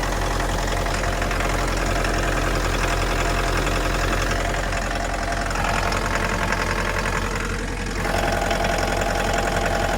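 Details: 2011 Mitsubishi L200, 2.5 diesel, automatic, odometer 79,000 km (suspected rolled back): idle with a repeating knock under the clatter, roughly three a second and not perfectly even; engine knock at idle, source unknown.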